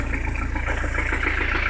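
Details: 1985 Peugeot 505 XD3 turbo diesel idling after hard driving: rapid even clatter with deep repeating knock at steady revs; worn rod bearing, rod knock, engine needs replacing.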